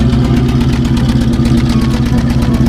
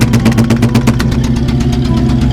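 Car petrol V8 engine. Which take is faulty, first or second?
second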